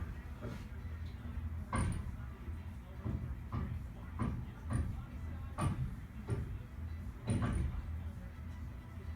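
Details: Sharp, irregular bangs and knocks over a low steady rumble, heard from the laundry room ceiling, traced to one of the building's boilers: boiler banging.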